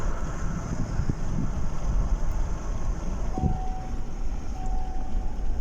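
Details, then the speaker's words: 2012 Chevrolet Tahoe V8 after the cylinder 5 misfire was fixed; the cause was a plug ceramic cracked during installation. An even low rumble with no stumble or jerk, steady on throttle, with cabin chimes in the background. Running normally. "ما شاء الله الآن عندي السيارة اختلفت، ما عاد فيه تقطيع، ما عاد فيه زي السحبية أو النتعة."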